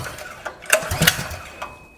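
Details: Small engine on a custom mini trike on its first test run, choke lever cut off: a few sharp pops a fraction of a second apart as it catches on choke, then it dies away; the engine is firing.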